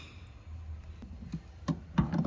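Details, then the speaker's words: Hisense dishwasher flood switch in the base: a few sharp clicks as it trips when water collects at the bottom, signalling a leak to the control board, which triggers a flooding error. Dishwasher flood switch click. "So if there's water at the bottom, this clicks."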